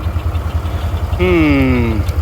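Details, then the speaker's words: Oliver 1755 tractor driving a New Idea 512 haybine that sat outside about 10 years chugs steadily, then a sharp squeal slides down in pitch; something let go in the mower, cause unknown. "houston we have problems as you can hear it's making a god-awful noise we don't know exactly what it is yet"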